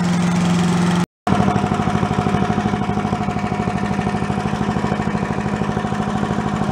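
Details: Commercial walk-behind two-stroke leaf blower, bought not running with reported carburetor problems, repaired and run on the ground to check smoke: fast, even putter at a steady speed after a brief cut-out, no misses or knocks; runs healthy.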